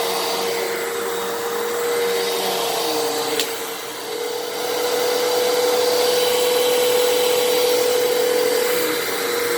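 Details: 12 Amp Fantom Fury upright vacuum, made October 2000, running after its clogged airpath was cleared: smooth, steady motor hum at constant pitch with even air rush; normal, healthy and unclogged.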